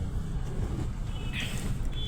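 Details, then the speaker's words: Renault Kwid at 4949 km, check engine light blinking: lumpy idle with heavy vibration, severe misfire from low compression and a leaking valve, no pickup, poor mileage; head overhaul and new piston rings planned. "तो अभी मैं आपकी गाड़ी का जो situation है व बहुत ज्यादा मिसफायर कर रही है इन इंजन भी उसका बहुत तेजी से मतलब वाइब्रेशन कर रहा है"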